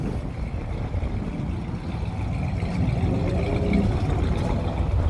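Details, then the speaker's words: Edsel V8 idling at a gas station on an approximately 70-degree day, after a stuck-shut thermostat was replaced along with the gasket and coolant. The idle is a low, steady, smooth rumble with no misfire or ticking. Healthy idle. "Alright, so we just threw a splash of gas in this just to make sure we don't run out, but I want to get a view of this thing. Sitting at the gas station, idling."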